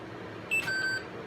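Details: Intel 386 DX-25 PC unused for 15+ years, powering up: single short high beep from a quiet machine, then BIOS errors reporting CMOS lost power; dead backup battery lost its settings.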